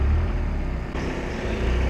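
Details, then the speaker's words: Boat inboard engine run on a mooring to charge batteries, low rumble dipping and swelling as revs hunt up and down because it has run out of fuel, shortly before it dies. "can you hear the not of the the no of the engine hunting up and down that's because it's run out of fuel now"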